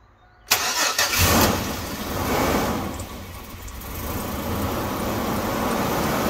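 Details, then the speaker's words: 2005 AWD Chevy Astro van, battery at 12.6 V after sitting overnight: brief labored crank, then engine catches with an uneven stumble before settling to idle; weak starting battery confirmed by tests. "Stumbly there. I don't know, I don't like that."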